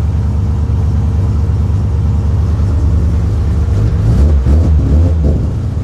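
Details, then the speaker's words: Freshly built RB28 billet-block turbo six (Garrett G42 1200 turbo, double Supertech valve springs, drive-by-wire ITBs) idling through a temporary muffler after first start; deep steady idle with a couple of throttle blips — normal idle. "okay so let's just fire this thing up and listen to it got a muffler at the moment it's probably not as loud as it would normally be but it's okay for being at home"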